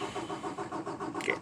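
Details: 2018 Peterbilt 579 diesel after dealer replaced priming pump assembly for no-fuel-prime; hard starts since new despite repeated repairs. Starter turns engine over in even pulses without catching; extended cranking hard start.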